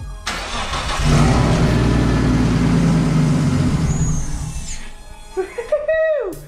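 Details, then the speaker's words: RB25DET swapped into an R32 Nissan Skyline, first start before the intercooler piping is finished. The engine catches quickly and settles into a steady, even idle over background music: normal start and idle. "it runs so happy do it again jeff do it again give him the beans"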